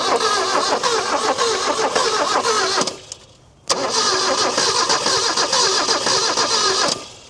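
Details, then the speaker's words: Chrysler Galant 1600 wagon started after sitting 30 years: cranks and catches to rough run, drops out, sharp crack as it relights; wet ignition coil arcing through makeshift insulation, causing misfire. "You can still hear a crack in here and there. I need to backfire."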